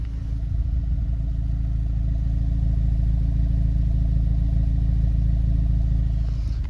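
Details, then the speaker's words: 2025 Honda Civic Si, 15,000 miles, tuned, stock exhaust with resonator delete, idling. Deep steady exhaust drone with an even low pulse, no knocks or misses: healthy idle. "So as for exhaust, this is the stock exhaust. The only thing I've done is a resonator delete, and this is how she sounds at"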